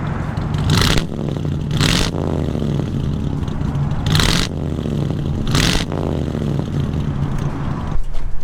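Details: 1954 Ford Crestline Victoria, 239ci V8, manual with overdrive: a low, steady V8 burble settles into an even idle under a few loud outdoor rustles; no knocks or misses, a normal idle.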